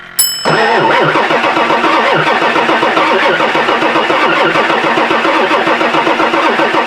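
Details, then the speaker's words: 1999 Ford F-450 7.3 Powerstroke diesel, sat for years, batteries charged, almost full tank: starter cranks steadily at about four compressions a second but it never fires and no exhaust smoke; owner suspects it isn't getting fuel. "that well cranking it's not even trying to fire okay I don't think it's even smoking like it's not even trying so we're probably not fueling"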